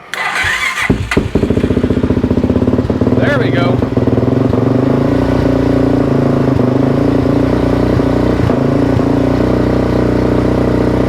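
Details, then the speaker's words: 2004/2005 Suzuki LTZ 400 single-cylinder ATV after valve train and head repair (botched valve guide job by another shop), started with a little choke and idle raised: catches after a few cranks and settles into an even thump with no valve chatter; normal idle. "there we go that sounds way way better that sounds really really good"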